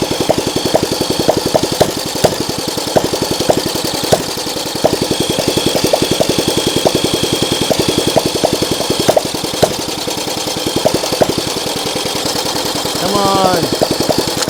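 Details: Motorcycle with a previously locked-up engine, carb just tightened down and throttle cable cut to a pull: steady mechanical chuffing, about four beats a second, no firing pulses; it cranks over but never catches.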